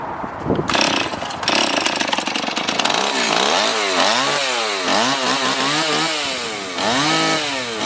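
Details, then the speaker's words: Stihl MS260 chainsaw after repair of bogging and dying as if fuel-starved: fires and runs, revving up and down cleanly with a steady buzz, no stalling or bogging; not yet fine-tuned; normal running. "now we know that it starts we know that it runs so we obviously fixed the problem"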